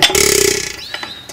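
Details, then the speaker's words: Buzacott 2hp hit-and-miss engine turning slowly between firings, compressing with the cam engaged: a rapid rasping hiss fading over half a second then light clicks, the engine's characteristic blow-by and intake breathing noise, normal. "and hit miss engines make that noise characteristically you can hear blow by noise there and intake noise up here"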